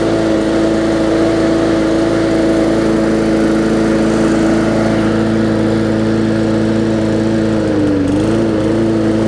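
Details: Bolens push mower with a Briggs & Stratton engine (classic or newer OHV), running after no-start repair work; carburetor gasket fuel-air mix problem suspected. Steady, even drone at constant speed, one brief dip then recovers; runs smoothly now.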